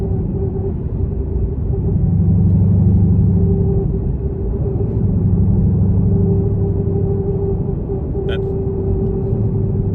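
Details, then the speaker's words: Ford Mustang S550/S650 with Whipple-supercharged engine, 10R80 automatic in ninth gear, 3.55 Torsen rear, floating throttle at speed after Kelltrac diff bushing install; steady road rumble with a faint constant whine, mild differential gear whine, not a harsh vibration. "there's a little bit of that differential wine it's not a harsh vibration noise it's just you hear you hear the the physical differential gear rotor wine uh if that makes sense"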